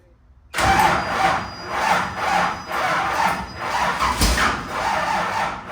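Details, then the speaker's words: Pure stock race car engine on its first crank: rhythmic cranking pulses with a sharp backfire pop and clicking, then cranking is stopped. A valve is suspected open when it should be closed, and the lifters need rechecking; cause not confirmed. "Something's clicking over here. Huh? Hey, stop. Don't crank it again."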